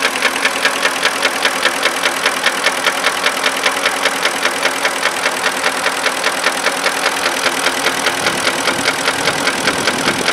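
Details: 2005 Porsche Cayenne 4.5 V8 at idle: fast, steady ticking keeping time with the engine; stuck hydraulic lifters, with misfire faults and camshaft position sensor error, solved.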